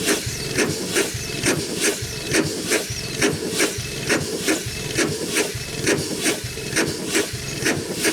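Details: 100+ year old Chicago Pneumatic steam engine/air compressor, first run in decades, compressor head off: steady chuffing about 68 strokes a minute with hissing steam every stroke; runs well but packings leak and need adjusting.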